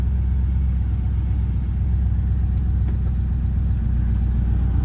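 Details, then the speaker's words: Lamborghini Murcielago after new spark plug wires, heat shields and new exhaust: deep steady rumble, subdued even exhaust note, no drone or misfire; much quieter but still sounds great. "But it still has a great noise to it. Yeah, it's got a great verbal to It sounds better."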